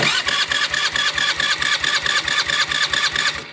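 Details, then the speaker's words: Honda Aviator scooter after full engine rebuild with timing set and oil pumping confirmed, on electric self-start: catches promptly and settles into a quick, even beat with no knocks or rattles. Normal, healthy start. "നമ്മുടെ ഏവിയേറ്ററിൻ്റെ എഞ്ചിനൊക്കെ set ചെയ്തിട്ടുണ്ട്. അതിൻ്റെ വർക്കൊക്കെ complete ആയിട്ടുണ്ട്. നമുക്ക് വണ്ടി ഇപ്പോൾ already okay ആണ്."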